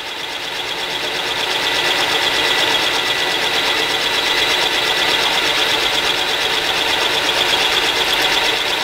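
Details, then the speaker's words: Mill cutting hole pattern into a new lathe spindle gear with a center-cutting end mill, hand-fed before switching to auto feed: steady, even high cutting hiss with light regular chatter, no squeal or grab; smooth milling cut. "it's going smooth enough so we're going to go ahead and add a little bit of auto feed here"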